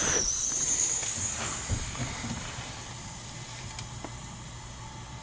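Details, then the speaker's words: Gas boiler that failed in cold weather, possibly off on high limit: the stuck feeder valve was freed and a steady airy hiss fades as water fills the system with good pressure; normal fill, and water is then coming back hot. "I'll leave it for pressure. Yeah, I got good pressure. Feeder was stuck. There we go. Working now."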